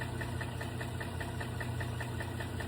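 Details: GM truck engine, six-cylinder: a light, even tick about five times a second rides over a steady idle rumble; clear top-end tick, cause not pinned down.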